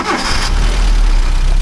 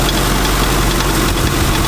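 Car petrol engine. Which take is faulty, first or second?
second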